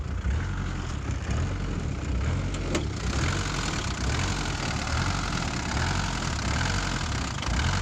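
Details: Old diesel truck running straight sunflower oil, idling untouched: uneven idle with hard irregular clatter over a low rumble; knocking and running rough on vegetable oil.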